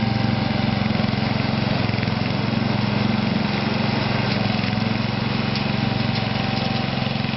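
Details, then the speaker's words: Toro 832 ride-on mower with new carburettor just after start-up: single-cylinder chugging at fast idle, beat slightly uneven and hunting; runs, but not cleanly. "I'm happy with that. Running. Hot water crap, but sort of running."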